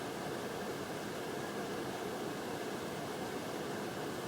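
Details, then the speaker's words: Casablanca Delta brass ceiling fan on high speed: steady airy roar with faint high whir from very noisy bearings; its twin fan has silent bearings. "and now high and you can hear it's very noisy"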